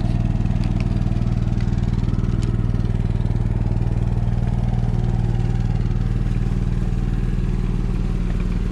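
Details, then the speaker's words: Onan 5500W generator in a 2015 Forest River Georgetown motorhome (10K miles, likely long parked) after carburetor replacement: even, steady low drone with regular firing beat, no misses or surges; runs smooth, still perfect after two hours. "well it's certainly running nice and smooth I started it right around 2:30 so I'm gonna let it run for a while and come back and check on it and we'll see how it does"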